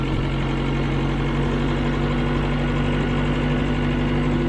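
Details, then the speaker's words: 1996 Tracker after fuel pressure regulator replacement fixing a dead miss on cylinder one: smooth, even idle with steady low hum, no misses; running smoother than before, slight hesitation on first throttle tip-in. "okay it's even running smoother than it was"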